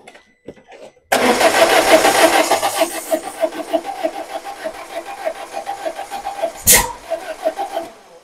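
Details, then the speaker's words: Peugeot 1007 1.6L 16V that will not start: starter cranks at about three beats a second with uneven lumpy rhythm, never catches; sounds like firing too early, timing belt suspected to have jumped. "oh cavolo, semplicemente non si avvia , hai sentito, sembra che stia sparando troppo presto e il pistone colpisca il coperchio ben prima del PMS, sospetto che la cinghia di distribuzione sia saltata."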